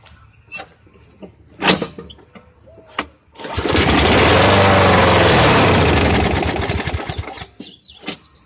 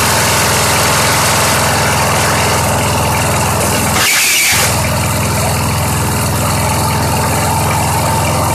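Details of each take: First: Old free push mower: catches and runs fairly evenly about four seconds, then fades and stops; owner suspects a clogged air filter or a dirty carburetor. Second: Craftsman 917.38813 push mower, on 90-octane pure gas: even, fast single-cylinder putter about three beats per second, holding steady; idles cleanly on its own, normal.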